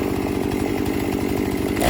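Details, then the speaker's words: Chainsaw that bogged at full throttle, after air filter cleaning and Amsoil Power Foam treatment: steady, even two-stroke idle with a fast regular putter, then revs pick up cleanly; idles nicer after the fix. "It should idle nice and be able to be held wide open without bogging out. Prime a little bit. Kill switch off. It's already idle nicer."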